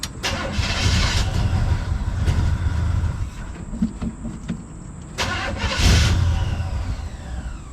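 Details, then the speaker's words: 1974 Chevy C10 dump truck abandoned for years, with a new battery and replaced ground strap; starter cranks briefly with an uneven churn, then cuts to silence, as it did before; suspected poor battery terminal seating or a killed battery, unconfirmed. "come on buddy dead again this is what happened the other day nothing happening at all"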